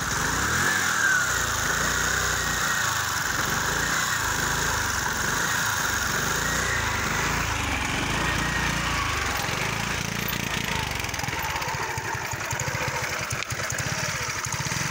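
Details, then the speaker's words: Kymco 125 fuel-injected scooter engine runs unevenly, misfiring and not accelerating though the fuel pump works; owner suspects the engine control unit, or too much air and too little fuel. "Solo che è il motore che non tira. Come il mio che ho quello dell'altro giorno. Il mio non accelera, va così. Perde colpi."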